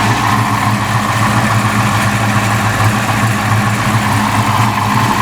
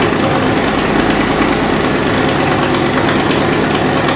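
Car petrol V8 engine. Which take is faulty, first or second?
second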